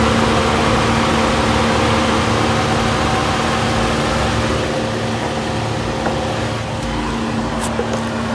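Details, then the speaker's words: 2013-2016 Nissan Caravan NV350 after converted A/C condenser replacement, leak check, vacuum and regas: steady engine idle with even compressor hum and condenser fan whir, A/C cycling normally and blowing cold. "so guys you can hear the condenser fun running and the ac system cycle out and cheap inbox dripping water"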